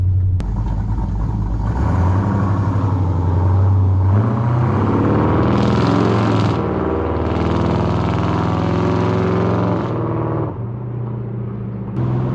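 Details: Dodge Dakota R/T V8 pickup with Scat Pack/Hellcat resonators plus added OEM Ram 1500 resonators: deep booming rumble swells as the engine revs and holds, pushing heavy drone into the cab; judged a no-go, with a full Hellcat muffler setup planned.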